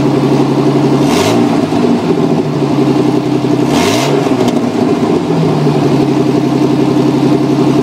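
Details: 1989 Jeep Cherokee XJ revved twice: raspy puffing exhaust note from an exhaust leak at the down pipe, later fixed.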